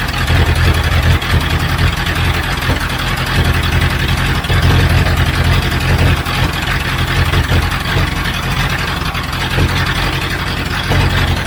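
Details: 1976 Broderson IC70 crane engine, abandoned several years, fuel tank cleaned, first run: steady, even low rumble with no misses or knocks; normal idle.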